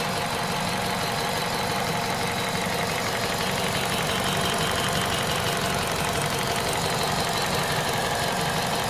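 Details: VTi 120 engine at 98,500 km, hot: hot idle with a fast, fairly regular tapping at about three per second over a busy rattle; abnormal engine noise when hot, source unclear.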